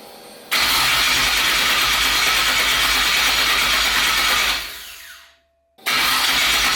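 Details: Twin-turbo 5.3 V8 in a New Edge Mustang on first start after wiring, with battery voltage dropping to about 8–9 V and tune settings in question: steady starter whir for about four seconds that winds down without catching; crank, no start.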